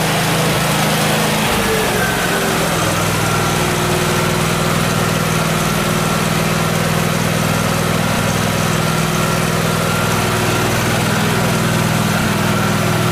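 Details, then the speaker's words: Miller Trailblazer welder engine after its vacuum-operated fuel pump was replaced with a 12-volt electric pump: the engine catches and settles into a steady, even drone with no surging. The fuel supply fault is fixed. "so through a new electric fuel pump on there 14 bucks done fixed let's just fire it up again one more time just to make sure"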